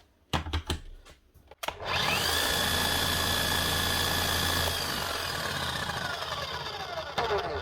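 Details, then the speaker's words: Makita hammer drill, SDS Plus, about 2 years old, serviced a year ago, with a bad armature awaiting a replacement; handling clicks then motor spins up to a steady, even whine without grinding or rattle, doesn't sound too bad. "It doesn't sound too bad."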